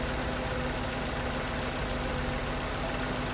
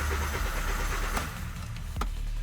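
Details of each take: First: 2011 VW Jetta 2.5L that would not start or stalled, no ECU communication and the cooling fan always running, fan still to diagnose. Now starts: even, settled idle with a low steady drone, no misfires or tapping; normal idle. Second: 2011 VW Jetta 2.5L that was towed in: starter cranks steadily with no catch and then cuts out, a crank no-start. Scanner shows no communication with the engine ECU or relay, and the oil lamp glows half-lit.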